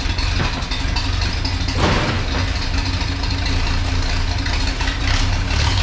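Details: 1932 Chevy truck "Rockabilly Rat" before tune-up, plug wires just refitted, ignition points not yet gapped: loud idle with an uneven, lumpy beat that never settles into a smooth rhythm; rough idle.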